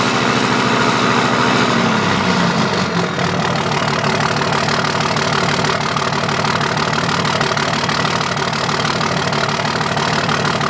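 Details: 2005 Dodge Cummins diesel at idle with a regular off-beat stumble about three times a second, lopsided loping; dead cylinder misfire from a bad injector not firing.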